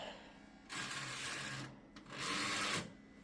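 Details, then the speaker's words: DVD drive in a 1998 Gateway G6-400XL (400 MHz Pentium II) running Windows 98: two roughly one-second bursts of harsh high buzzing over quiet background; fails to read despite repeated exercising, likely needs replacing. "no matter how many times I exercise it it just won't work it's making that buzzing noise so I think this is going to have to be replaced unfortunately"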